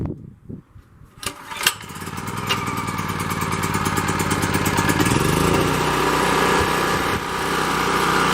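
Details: Champion 3500-watt portable generator, 196cc engine, started on choke after sitting a while: a few pulls, then catches into steady even single-cylinder drone that builds smoothly; runs healthy, owner finds it a bit loud.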